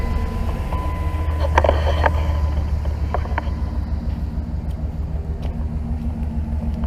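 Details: Dodge Ram V8 after exhaust manifold leak fix with new gasket and studs replaced by bolts: even low burble at idle, smooth and steady, no puffing or ticking from the manifold; idling normally.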